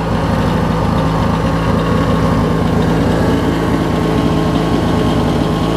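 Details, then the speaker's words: Craftsman LT1000 Briggs opposed twin, warm after running with transmission and deck engaged, exhaust in the mid to high 400s°: it starts without choke and settles into a smooth, even idle; starter slightly weak, fuel low. Normal idle. "I struggle to it soon idles good a safe it'll roll back out for us"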